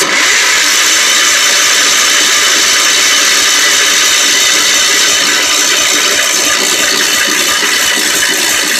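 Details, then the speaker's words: Old Wheel Horse tractor, with spark restored after the points were cleaned: the starter keeps churning about three beats a second but the engine never fires; fuel is suspected not to be getting through the dirty carburetor. "well yes the next thing would be cleaning the car burger"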